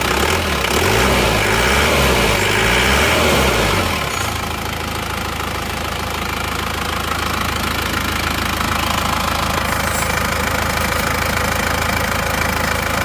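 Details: Isuzu Panther diesel rebuilt after its crankshaft broke a month and 200 km after an earlier rebuild, now with used parts and a new clutch lining: first start settles into an even, steady idle clatter with no irregular knock.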